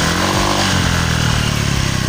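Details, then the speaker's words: Honda Vario 125 scooter after rubber spacer fitted to tighten the loose rear fender bolt: smooth revving, steady engine note, no obvious rear rattle; noise largely gone. "Nah kalinya di sini gue pakai ganjal karet biar si baut sama si spakbor tuh rapet. Nah pas sudah dipasang gini nih hasilnya, bunyinya udah lumayan hilang kan."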